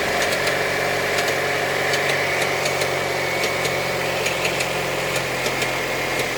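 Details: Opel Astra G 2.2 engine at idle: steady idle with sharp ticks coming through irregularly, roughly three a second, over the engine hum; engine ticking at idle, cause unknown.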